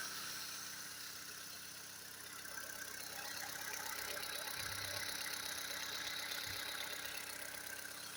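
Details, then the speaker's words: Recently repaired engine at cold idle, soft and even with only a faint light ticking underneath and no knocks (a knock appears later once hot): normal cold idle. "Запишем, как работает двигатель. На холодную очень тихо работает, никаких стуков."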